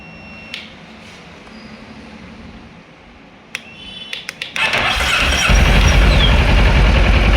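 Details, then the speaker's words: 2011 Kawasaki ER-6F (Ninja 650R) that wouldn't start after sitting a month. After moving the starter relay, which still has a small loose connection, a few clicks, then the engine catches and settles into a steady, even idle. "ഒരു ചെറിയ loose connection ഉണ്ട് അപ്പൊ വണ്ടി start ആയി"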